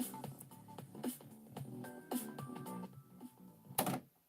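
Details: Quartz-lock direct-drive cassette deck recording. After the levels are changed the music turns dull and muffled, then cuts abruptly to silence as recording stops. Cause: a dirty switch that detects the erase-protect tab.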